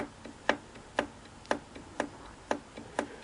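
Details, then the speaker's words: Singer 457 sewing machine, shaft turned by hand: sharp light ticks about twice a second, a loose knock each turn; end play in the horizontal arm shaft, fixed by moving the adjusting collar against the bearing. "if you pull on the hand wheel or in this case the shaft you hear this is kind of where you hear it"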